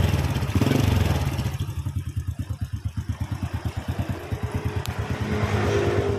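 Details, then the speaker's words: Honda Supra X after replacing a worn connecting rod and crankshaft bearing, original piston lightly scored but kept, no smoke; even idle thumping about three beats a second with no knock or rattle, normal idle. "Nah untuk motor ini sekarang sudah selesai suaranya sudah halus kembali dan masalah ternyata cuma di bagian conroad yang mengalami aus"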